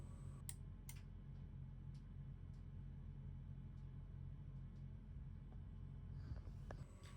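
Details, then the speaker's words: Climma AC inverter board two powered up after replacement, both compressors running: two sharp clicks about half a second apart over a steady plant hum, both relays pulling in cleanly; normal operation. "And here when I switch on power, you can hear both relays clicking."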